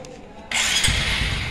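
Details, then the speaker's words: Supra 125 carburetor motorcycle after a full service including carburetor air-fuel adjustment: fires up promptly and runs evenly with no misfire or stumble before gentle throttle testing; normal start. "ya enak ya kita gas cara pengetesan sebelum kita jalan kita gas secara perlahan jangan langsung po"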